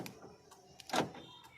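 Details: Toyota Innova remote central locking, after repairing two rat-chewed wires: a few quick mechanical clicks, then one sharp clunk as the locks throw; central locking actuators now working normally.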